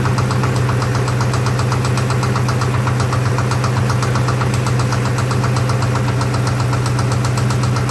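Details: 2003 Ford Mustang Mach 1 V8 at idle with a steady heavy knock about four times a second following engine speed, coming from the aft end.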